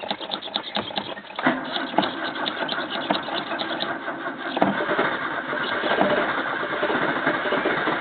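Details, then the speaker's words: 1985 Toyota Corolla with carburettor problems, choke possibly not on: several bursts of cranking that won't catch, then it finally fires and runs unevenly; hard starting. "Hello viewers, I'm trying to get this started. I had some carby problems, so let's see if it will go now."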